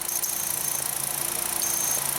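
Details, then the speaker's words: 2008 VW Jetta 2.5L five-cylinder that dies after refueling, P0455: constant hiss of vacuum at idle that never cycles off; EVAP purge solenoid stuck open. "it's still sucking all the time so that's very conclusive that's stuck open"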